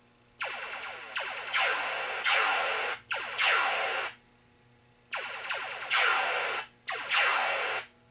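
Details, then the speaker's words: 1980 Stern Electronics Berzerk arcade game, VSU speech board: game effects play in bursts of zaps and noise but no synthesized voice ("coins detected in pocket" never heard); speech board fault, no speech. "there is no speech sound sounds good"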